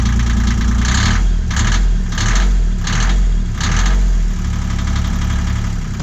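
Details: Boat's Yanmar diesel restarted after diesel-leak fix and fuel filter refit, with diesel bug found in tank and leaking exhaust elbow; turns over and settles into steady low chug with slight swelling rhythm, running cleanly.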